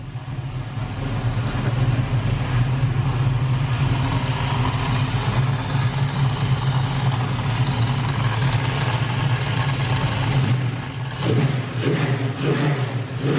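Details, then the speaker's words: LS-swapped Camaro on first start-up with a quickly made base tune: a deep V8 rumble that swells with throttle and drops back to a steady idle, with some exhaust rattle from unfinished welding; a healthy engine. "as far as like it getting up and idling and it sounded good it revved and when I let off the throttle it stayed idling"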